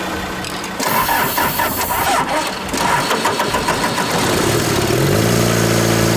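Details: Daihatsu Scat 4x4 diesel barn find after 15 years sitting, started with starting-fluid squirt, glow plugs possibly not working: cranks briefly, catches and settles into a steady even idle with low clatter; runs normally.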